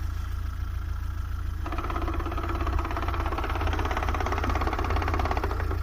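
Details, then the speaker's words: VAZ-2107 gearbox knock at idle: quick, irregular rattling knock over the engine beat that disappears when the clutch is pressed; cause not confirmed. "короче какая-то вот шляпа появилась коробки сцепление выжимает пропадает это слышно прям"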